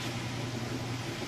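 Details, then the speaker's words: Used Whirlpool washer on high spin with a heavy jeans and towels load, super capacity setting: steady even low hum with smooth whir, no knocks or thumps; balanced and running like new. "good looks good there's no weird noises and it's not balanced or anything that that it's actually running in like-new condition"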